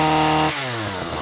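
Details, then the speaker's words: Stihl FS 94 R line trimmer, two-stroke single-cylinder air-cooled; after carburetor adjustment, screw turned back clockwise to lean it to smoothest running: clean, steady high-pitched buzz holding its note without stumbling or surging, then easing off; normal running. "I started turning it clockwise again turning it back in to lean it out and brought it to the point where it sounded it was running the smoothest"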